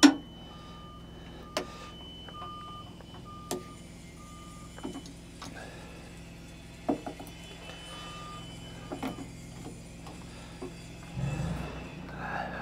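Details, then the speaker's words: Bobcat T76 R-Series skid steer with the panel off and not powering on: short evenly spaced backup-alarm beeps and front buzzers sounding unprompted; electrical fault suspected; battery in front under the raised cab. "look at this we've got can you hear it back up alarms going off if you can hear it and then around the front buzzers are just going off but the panel [Music] but the panel is turned off we just got alarms and stuff going of"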